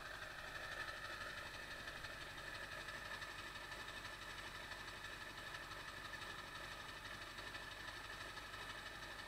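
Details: 1999 Ford F-350 Power Stroke diesel cold start after replacing the ICP sensor; idle clatter with uneven beat and occasional stumbles; it loped then smoothed and died after revving, idle hiccup unchanged by the ICP swap, cause unknown.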